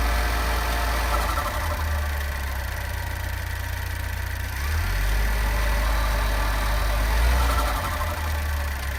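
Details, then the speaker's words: Vauxhall Insignia turbo, cold start since a service: low, steady idle with faint, quick metallic pinging tick, follows revs and fades once at running temperature; cause unknown. "Ever since I got my car serviced, there's been a strange metallic pinging sound whenever I start the engine up until it gets up to running temperatures. And it is controlled by the throttle as well, so just hoping that someone has an idea of what it might be."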